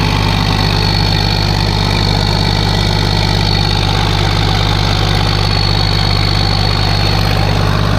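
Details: Case 1450B dozer with a freshly rebuilt diesel engine, just started after reassembly: steady, even idle with a regular low beat and no knocks or rattles. Oil pressure is rising toward 40 psi on a mechanical gauge, and the idle is normal.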